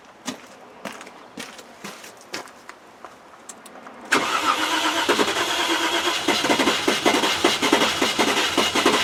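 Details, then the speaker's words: Range Rover project on a chilly day, ECU powered by a wire run straight from the battery: light clicking, then long continuous cranking with uneven chuffs that almost catch but never run. Crank no-start; owner suspects flooding with wet plugs. "it sounds like it's flooding god it's so close innit i think that's its problem though it's the way it was done wrong"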